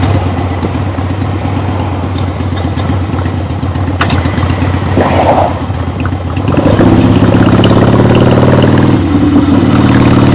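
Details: 1975 Harley-Davidson XLH Ironhead Sportster, freshly rebuilt and basically stock, on a test ride with the camera clipped to the rider: even, loping V-twin beat climbing cleanly in revs, no knocks, misses or backfires; runs great, healthy.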